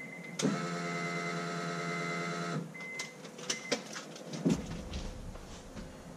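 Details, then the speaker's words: Turbo Honda Accord, newly installed Walbro fuel pump with relay and thicker wiring, key-on priming, much louder than the factory pump, no leaks: clean steady whine for about two seconds, then cuts off; normal fuel pump priming. "Alright, our fuel system should be fully primed, and I don't see any leaks, at least not from back here, and that is all that I touched."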